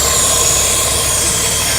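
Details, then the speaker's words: 1971 Mercedes-Benz 280SL at idle during a pre-purchase inspection: steady, even idle under a loud fan rush, no ticking or puffing from the manifold; no exhaust leak heard, quieter in person than recorded. "I don't hear any exhaust leaks. Sounds pretty quiet. Again, keep in mind that it does sound a little noisier on the video than it actually does in person."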